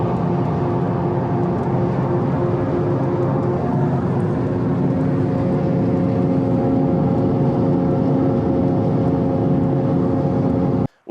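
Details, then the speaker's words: 2013 Subaru BRZ Premium at speed: a steady droning hum with a constant whirring tone over road noise, coming from the left rear. A bad rear wheel hub bearing assembly, later replaced. "in today's video we're addressing that horrible noise coming over our left shoulder in the form of a bad wheel hub bearing assembly"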